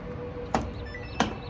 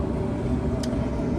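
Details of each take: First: Samsung dryer (motor DC31-00055G/H), in for service; two sharp clicks, then a steady low electrical hum from the failing drive motor, which is then swapped for one from a parts unit. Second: Samsung dryer that hummed from its motor, after the motor was swapped in from a 2-3 year old parts unit and confirmed heating; steady low drum rumble and even motor hum, no squeal, scrape or thump; normal running.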